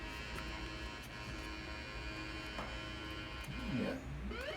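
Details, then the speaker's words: 1980 Atari Battlezone arcade PCB on the bench: steady low hum under game sounds that break up and sweep erratically; sound generated on this board is flaking out. "here just flaking out with that sound the sounds are generated on this board"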